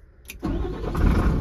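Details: Old lorry diesel after starter motor replacement: short clean starter whir, engine catches at once and settles to deep steady idle; new starter engaging properly.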